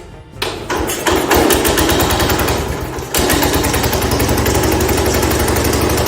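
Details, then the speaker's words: 1970 Cub Cadet 127 garden tractor single-cylinder engine after head gasket replacement fires up after a few turns and settles into an even, steady thumping beat; runs pretty good, normal running. "Ran pretty good. So I'm gonna go on ahead and say that we should be all right with that."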